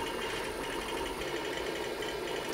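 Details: IBM PC 5150 10 MB MFM hard drive, showing up as drive D, during a SpinRite 2 surface analysis: fast, busy mechanical chatter of heads stepping back and forth, quite loud, but the drive keeps working and performs well.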